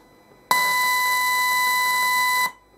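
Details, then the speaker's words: Discrete op-amp build (Rod Elliott's experimental discrete operational amplifier project) fed a 100 mV DDS test tone sounds harsh, buzzy and heavily clipped: the feedback resistor was wired to the wrong transistor's base, leaving the amplifier open-loop and distorting. "sounds like absolute rat well it turns out I had the feedback resistor connected to the wrong base of the wrong transistor"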